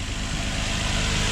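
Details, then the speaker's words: 2004 Infiniti G35X VQ35DE V6 at idle, warming up, after PCV valve replacement: smooth, even low rumble with no knocks, ticks or whine; the earlier on-off noise is gone, engine quiet and healthy. "Just gotta let it warm up and see what happens. She's nice and quiet. JDM motor."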